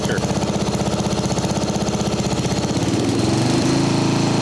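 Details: Mastercraft 12.5hp flathead 38-inch riding mower after carb repair, mixture leaned slightly: quick regular putt-putt about four beats a second, picks up slightly and stays even; running healthy.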